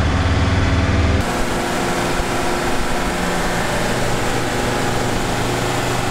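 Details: 1965 Unimog 404 diesel with a newly replaced gearbox, road test run. Steady low diesel drone under way, even and smooth, with no knocks, whine or grinding. It drives and shifts well, no leaks. Normal running.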